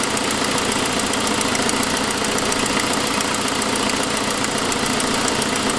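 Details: 2006 Saab 9-5 turbo engine idling with a quick, light ticking on top; turned out to be an exhaust manifold leak from a broken forwardmost exhaust stud, which followed an earlier noisier turbo sound.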